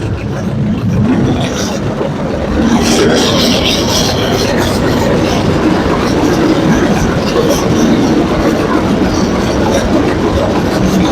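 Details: Early-1930s International Harvester McCormick 22-36 tractor, stiff engine freed up and running again, side cover open: loud, steady, uneven chugging clatter with steel-wheel rattle and no missed beats; the old engine is running healthy.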